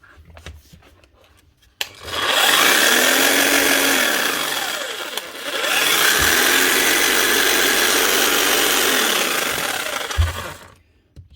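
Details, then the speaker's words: Bosch GSH 5 CE demolition hammer under warranty, a few months old and used for wall chasing: a harsh, rattling drone with a grinding edge from worn gears and a failed armature; it needs a new motor. "you can hear the gears and you can hear the armature is actually gone. So a new motor needed inside of this."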